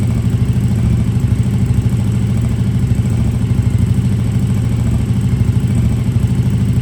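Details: KTM RC8R with a swapped 2020+ third-gen 1290 Super Duke engine and electronics, first start after the swap: loud, steady idle with an even beat, no knocks, rattles or misses; normal idle.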